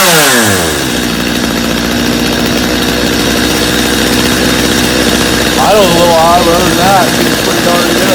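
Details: Customer's Stihl chainsaw after reassembly, Bosch spark plug, started from full choke; settles from high rev into smooth steady idle, then blips throttle cleanly; healthy, little carb adjustment needed.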